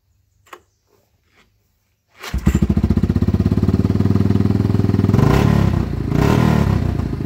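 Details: Yamaha Wolverine quad after air filter, carb clean, new spark plug, new battery, and unplugging a bad switch that caused rev-limiter-like cut-out: fires after a pause, runs with steady even thump and revs cleanly; running good again.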